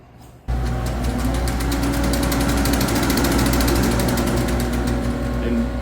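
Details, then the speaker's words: Gearless elevator machine running with steady motor hum and fast, even clicking, about three or four a second, from brushes riding a commutator burned at some point; burn marks are fairly deep, so cleaning alone may not suffice. "As the machine spins, the brushes are running on the commutator, and you can hear a clicking noise as it operates."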